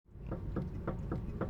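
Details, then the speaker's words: Vehicle rocked while stationary: repeated hollow knocks, about three or four a second, from a worn, loose front sway bar link, a small ball and socket joint. Replacing the link is the fix. "they can get worn out loose and they start making a knocking or banging noise that noise that you heard us at the beginning of the segment producing it's very bothersome to the driver"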